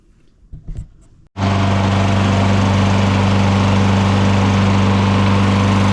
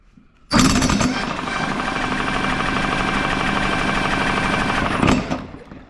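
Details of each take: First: Lawn mower after ignition coil replacement, with the flywheel air gap reset and good compression: a few quiet pulls, then it catches and settles into a steady, even drone with no misses or surging; runs normally. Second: Lawn mower with a suspected failing ignition coil (intermittent internal short suspected): a rapid, rough rattling burst of about four seconds that never runs. Fuel can be smelled and compression is present; the mower cranks but fails to start.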